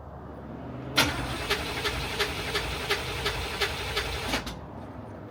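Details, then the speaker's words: Widebody C4 at night after new connections, with cylinders 5 and 6 exhaust valves found stuck open on leak-down: steady chuffing pulses about three per second while held on throttle, then the engine cuts off abruptly as throttle comes down. It stalls and won't idle; cause unknown. "So it'll start while I hammer the gas, or keep the gas on, or the throttle on, sorry. And it'll rev, it'll go. As soon as I start coming down, it'll be okay. Then it dies."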